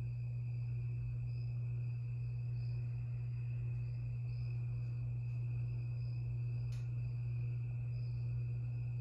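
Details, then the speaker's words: 52-inch Harbor Breeze Lakeside II ceiling fan runs only on low on all three speeds, with a loud steady electrical hum from a cracked, slightly melted failed run capacitor, before restoration and capacitor replacement. "it has a bad capacitor it's it's very bad it has couple of cracks in it and it got melted it got melted a little bit yeah and it makes a humming noise makes a the humming noise is a little bit loud"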